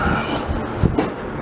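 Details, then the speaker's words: Wisconsin BKN single-cylinder on a hot restart, fully warmed, after Fairbanks Morse magneto repair with a temporary automotive plug wire; steady, even chugging with no miss or knock, much better than before. Owner thinks valve lash is slightly loose. "That runs pretty good. Engine is fully warmed up. Yeah, that runs a whole lot better."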